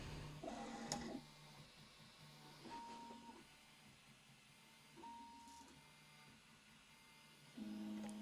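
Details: 3D printer Y-axis plastic Drylin slide bushings after about 800 hours of print time: short bursts of buzzy, rattling whine on each quick move, quiet between; the bushings are noisy at speed, being swapped back to factory linear bearings.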